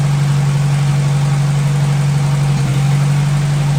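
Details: 1957 Hercules Power flathead four-cylinder with magneto, generator-type engine, running after oil top-up, warm but not hot after 20+ minutes with antifreeze circulating: steady low hum at constant idle, no knocking or ticking; normal healthy idle.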